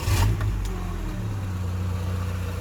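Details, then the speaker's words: Rover 45 Impression S3 CVT during a battery tester cranking test. A brief crank catches into a low, steady, even idle with no grind or rattle; the earlier noise is improved. The tester rated cranking normal, at around 10.4–10.8 V. "yeah I don't know about you but that sound has definitely improved"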